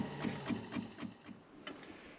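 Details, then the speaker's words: Triumph TR7 wiper motor on battery: light ticking about four times a second that slows and falters; the wipers can be stopped by hand, so the motor is weak and struggling. "But I can manage to stop them just gripping them, so that motor sounds like it's struggling."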